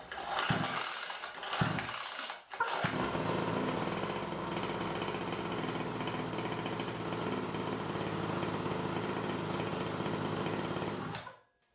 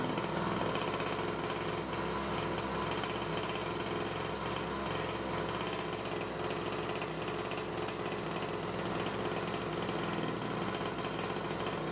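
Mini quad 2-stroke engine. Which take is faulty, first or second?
second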